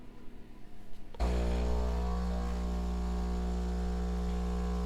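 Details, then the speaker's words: Philips 5400 LatteGo espresso machine, about two months old, dispensing espresso through the two front spouts: deep, steady buzzing hum starting abruptly at even pitch; normal pump operation, the unit a little loud. "Now it dispenses the coffee out of the 2 units in the front with the dispensing square."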